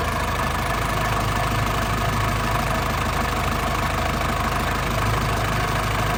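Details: Warm 2002 Panther LS diesel, started and idling hot: a steady, even, soft clatter with no shaking and no exhaust smoke, and no oil seepage seen on the engine. A smooth, stable, healthy idle.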